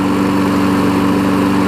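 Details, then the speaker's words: 5hp Briggs engine on a 2014 Weed Eater push mower deck. The single-cylinder holds a fast, even drone with a steady pitch and no skips; the older engine runs good. "And if it didn't have the older engine on it, even though this older engine runs good, it might be $100 more, but I'm going to list it for 80."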